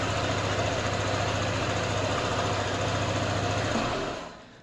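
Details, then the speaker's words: Indonesian motorcycle (ADV) with a smartkey ignition switch that would not turn on, started after jumpering the black-red and red-white wires with the remote nearby: smooth, even idle with a steady quick pulse and no knocks, then switched off and winding down. "Coba kita starter ya pegang nah pong nah tah motor hidup nih"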